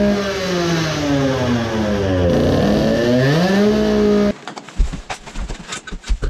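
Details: Modified 20 hp two-stroke moped engine with a low-power problem, carburetor suspected: blubbers and sputters unevenly as revs rise and fall, then breaks into ragged pops; choking on too much fuel, running rich.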